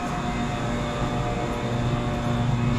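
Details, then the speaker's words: Water-cooled walk-in refrigerator after refrigerant leak repair, R12 compressor charged with R134a, very cold water with about 20 degrees outside: a steady, even compressor hum with no knocking or surging; superheat is about 12 degrees, subcooling a bit low, suction line 35 degrees, running normally. "super heat looks good stop cooling is a bit low but listen i got a 35 degree suction line this box is gonna calm down in no time"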